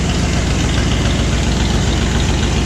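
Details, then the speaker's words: Ford Bronco freshly cold-started after sitting about a year, on straight-pipe dual exhausts: a loud, deep, even idle rumble with no skips or knocks. It idles healthily, just noisy. "got dual exhaust just straight pipes I don't think of any mufflers on this"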